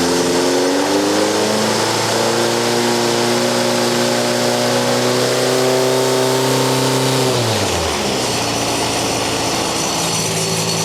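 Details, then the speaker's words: Race engine revved to about 4,000 rpm and held about seven seconds without the muffler, app meter reading 105 dB against a 98 dB track limit: raw, very loud unmuffled exhaust roar, too loud for the track. "So I'm going to start it up without the muffler first, and then we run it with the muffler. And I'm going to rev it to about 4,000 RPMs."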